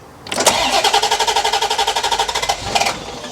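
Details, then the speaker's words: UK barn-find C4 Corvette ZR1 after cam sensor testing and spark plug changes: the starter cranks steadily about four turns a second but the engine never fires; owners suspect it is running rich or flooding, or that the plug gap is wrong. "go for it again I don't get that um are we missing something based sticker put your foot on the throttle I think it's running rich anyway so I think put it flooding it's trying to go try again it's even less happy"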